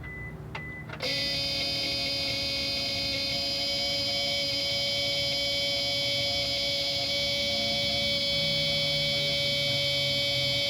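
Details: Car that cranks but won't start: after a click, a steady high-pitched electrical buzz under the hood following NCP-2 NOCO battery spray, which was cleaned off with Windex and baking soda; source unconfirmed.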